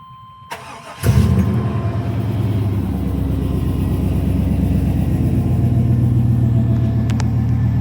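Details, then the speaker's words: 1999 Chevrolet Suburban C1500 350 cold start with catalytic converters, X-pipe and Magnaflow exhaust: brief starter whir, catches at once, settles into a deep, steady burbling idle, quieter and smoother than without X-pipe; healthy cold start. "Cold start. So with catalytic converters, it's a little quieter and a little smoother."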